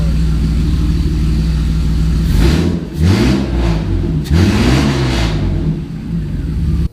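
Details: 1990 Mercedes-Benz 300E, long-sitting, running after fuel injector cleaning: very loud, deep, raw drone booming on each rev blip, no muffling; catalytic converter and entire exhaust system downstream were stolen.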